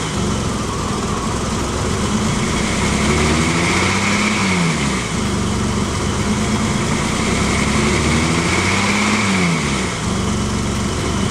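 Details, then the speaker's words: BMW E30 first start after years of sitting, running rough: idle climbs and sags in slow waves about every five seconds, never settling; surging idle, cause unknown. "sorry if the motors too loud but I don't know I know you can hear it accelerates and then it goes down and do it again"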